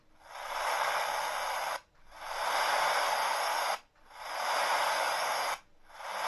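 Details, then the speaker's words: Portable radio receiver with memory card slot and no antenna, on while tuning: steady loud hiss in long bursts dropping out about every two seconds with no station; suspected broken wire inside. "Можливо там всередині обіваний провід"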